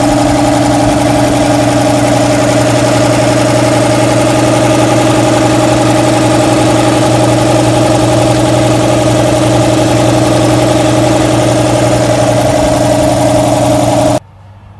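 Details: Shop air compressor with a loose drive belt: motor drone and low hum, sluggish and labouring at start-up as the belt slips until the flywheel gets up to speed, then smoothing out; belt tension too loose (spec ¼–½ inch midpoint deflection).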